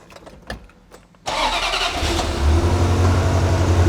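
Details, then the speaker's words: Manual Ferrari 355 started at a specialist: short crank, then a lumpy, uneven idle with an irregular stumble in the exhaust beat; misfire suspected from spark plugs, possibly water seeping past the cover gasket, not confirmed. "first and foremost there's a misfire yep nine times out of 10 it's always the spark plugs"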